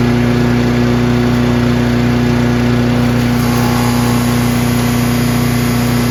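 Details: Craftsman chipper shredder in excellent condition, single-cylinder with very heavy flywheel, started on choke on one pull despite brownish old gas; steady even drone at constant speed, no misses, knocks or rattles, running healthy.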